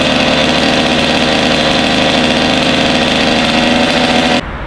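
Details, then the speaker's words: Freshly built Kawasaki KX 85 two-stroke at first start, running 32:1 premix: crisp, steady burble with even firing, no rattle or knock, idling cleanly until it cuts off; normal two-stroke idle. "Sounds good. Yeah, and we were running that gas in Mike's recordings KX last week, so 32.1, nothing froze up. Yeah, it sounds really good"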